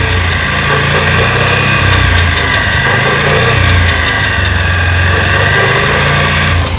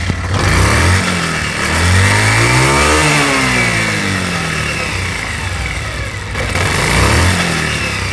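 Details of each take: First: Pulsar motorcycle running in fifth gear with a rough, gravelly grind over the engine note. The gearbox pinion teeth were later found worn, and a new gearbox was installed. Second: Pulsar motorcycle after a new gearbox was installed. Shifting is smooth, and revs rise and fall with a clean whir; the earlier grinding and rubbing is gone and the gearbox sounds healthy.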